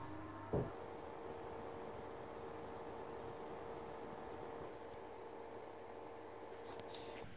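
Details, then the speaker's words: PlayStation 3 Fat after a CPU and GPU delid, cleaning and BIOS battery replacement; a soft click, then the console fan runs at a low, steady, quiet whir, nearly inaudible during play. "pograłem dłuższą chwilę na konsoli i powiem wam że operacja udała się w 100%. Wszystko jest doskonale a konsoli prawie że nie słychać"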